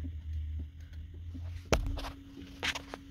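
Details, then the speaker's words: Gen 2 Toyota Prius during a linear valve offset calibration with Techstream, a possible fix for codes C1345/C1256: steady low hum from the brake accumulator pump for about 1.5 s, then scattered valve clicks; normal brake accumulator pump operation. "you can hear the accumulator running as it's calibrating the valves"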